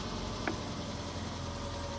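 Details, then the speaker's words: Cheap Ford Fiesta bought to sell on, MOT due in 10 days, started on the button: quiet steady low hum with no knocks, misses or rattles; smooth even idle. "To say guys, literally right, look, these engines are bloody brilliant. It literally starts on the button. Listen to that sweet engine."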